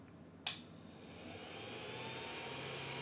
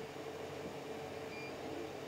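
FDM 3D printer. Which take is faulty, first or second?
first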